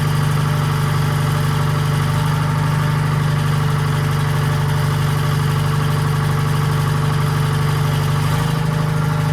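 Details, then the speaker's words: 1940s Allis-Chalmers crawler with Detroit 2-71 two-cylinder diesel at first startup in years, after freeing a stuck injector rack; steady even idle with deep thrum, no knocks, smoking heavily, suspected from a problem injector. "right, that thing is a smoker. Motor sounds good."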